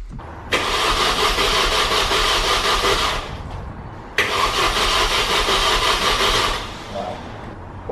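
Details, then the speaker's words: Mini Cooper S R53 after first-time engine rebuild, coil packs unplugged, oil filled, no coolant yet: two bursts of steady starter whirring, about three seconds each, no firing; cranking only to build oil pressure. "we're gonna unplug the coil packs uh and just start it just to crank it over just to get oil pressure"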